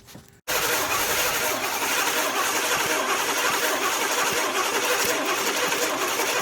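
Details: 1982 Pontiac Firebird 5.0 V8 after 22 years sitting, with a rebuilt carburetor, new fuel pump, plugs and wires, choke hooked up temporarily and a charger on the battery; the starter churns steadily at about four beats a second without firing, cranks but no start.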